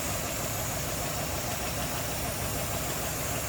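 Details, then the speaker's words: 1959 DeSoto Firesweep Sportsman 361 V8, warm, with the hood open: even, steady idle with a constant rumble and no dropouts or loping, smooth and healthy. "Listen how smooth that is, wow."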